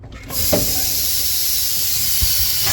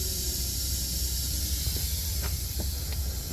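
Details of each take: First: Freightliner semi truck before replacing a leaking low-air-pressure brake switch valve under the dash: a loud, steady rush of escaping air for over two seconds, tapering off as the air system is deliberately drained from the cab rather than at the tanks. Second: Freightliner semi truck, microphone under the dash: steady high airy hiss runs unbroken with no pulsing when the brake knob is pushed in, a constant air leak suspected at the parking brake valve; brake air switch valve replaced.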